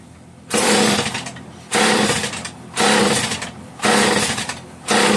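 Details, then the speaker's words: Homelite 150 chainsaw, lower compression than another, on full choke, deliberately flooded to prime carb and fuel line, no fuel seen in line: five pull-starter strokes about a second apart, whirring rasps with no firing. "Take the choke off a little bit. I know I flooded it, but I kind of did that on purpose."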